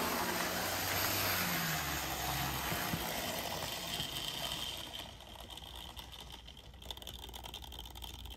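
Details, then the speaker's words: Older Bachmann GP40 model locomotive, CP Rail livery, running with shell removed; loud steady buzzing drone with thin high whine, motor still not quiet but noise amplified by shell resonance. "so it's still not the quietest of Motors but it's definitely been Amplified by the shell"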